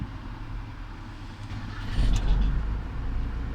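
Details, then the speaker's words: 2002 Ford Transit Millennium engine starts: short crank, then a low diesel rumble picks up and runs evenly, after checking fuses and relays for an earlier no-crank fault where the starter only clicked. "завелась машина"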